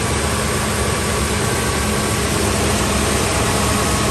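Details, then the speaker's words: 2003 Ford F-350 Super Duty 5.4L after passenger-side exhaust manifold replacement for a seeping manifold with rusted studs: steady, even, smooth low-rumble idle with no ticking or exhaust puffing; engine runs clean. "You don't hear anything, guys. Look at that. It's a smooth running engine. Wow."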